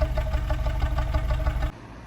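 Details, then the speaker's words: 2012 Honda City with factory CNG, shaking badly and not accelerating, plugs already replaced: uneven idle with lumpy exhaust pulse six or seven times a second; gas system suspected, cause unconfirmed. "ตอนนี้เสียงเครื่องสั่นออกท่อเลยนะอาการนี้ก็น่าจะมีระบบแก๊สมีปัญหาอยู่เดี๋ยวเรามาตรวจเช็คกันนะครับ"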